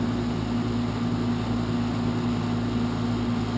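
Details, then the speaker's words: 12-year-old heat pump outdoor unit being replaced, loud on start-up and while running: a loud, steady droning hum with a low buzz that never eases; excessive running noise, cause not determined. "so that's the existing heat pump as you can hear it's 12 years old loud on fire up and Loud running as well"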